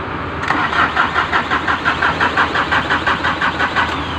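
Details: Ford diesel hard starting: steady cranking pulses near three per second go on and on before the engine struggles to fire; cause is faulty glow plugs, remedied by replacing them.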